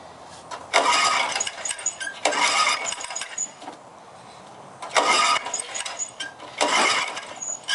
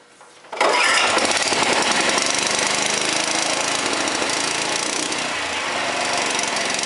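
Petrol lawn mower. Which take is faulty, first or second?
first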